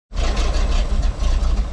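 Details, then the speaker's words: Old dump truck engine started on a temporary inline 12-volt fuel pump hot-wired to a jump pack after the original fuel pump quit: it catches and settles into a steady, even low rumble with no misses; the fault was confirmed as the fuel pump. "so the moment it's running so it was fuel it was a fuel pump"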